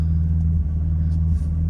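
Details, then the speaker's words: BMW E46 at idle, code cleared after new camshaft position sensor and added oil: low uneven rumble with brief stumbles and hesitation; misfire, owner also suspected oil needing a change. "I cleared the code. Um, you can still hear it hesitating. I think maybe it does need a oil change."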